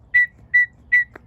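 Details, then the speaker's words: Stihl FS55R string trimmer that started but wouldn't rev, after cleaning the carburetor ports and fitting a new primer bulb: three short clean whistles, one per bulb press, as fuel purges freely; the priming system works properly. "seems to be purging like it's supposed to you could hear that whistling now"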